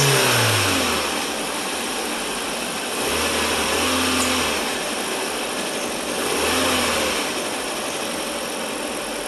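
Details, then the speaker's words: 1998 VW Passat 1.8T running on newly installed cheap Amazon aftermarket ignition coils: revs climb and fall smoothly in a few blips over a steady hum with no stumble or misfire; normal running. "so the good news is is that they work"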